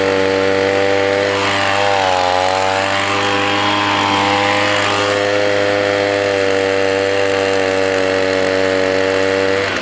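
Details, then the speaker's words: Echo PB 200 two-stroke leaf blower, roadside find, first run after freeing a sticking part with WD-40: steady buzz with a brief sag, seems it could rev higher; owner suspects dirty air filter. Slightly low revs. "works good it sounds like maybe it could rev a little bit higher maybe that air filter is dirty"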